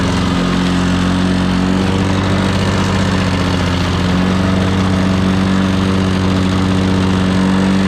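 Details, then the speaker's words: Old Lawn-Boy 10550 two-stroke push mower, auction buy, plastic carburetor with air-vane governor: steady buzzy drone holding one modest pitch, not reaching full RPM despite full throttle travel; owner suspects dirty carburetor or unknown adjustment screws. "Anyway, it didn't seem like it was getting up to full RPM, but I checked. The range of motion on the throttle was all the way."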